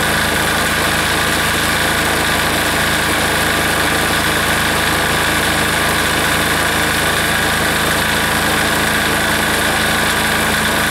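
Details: Air-cooled diesel engine just reassembled, running at full throttle: loud but the beat wanders and stumbles unevenly; rough running, owner suspects it is starving for fuel.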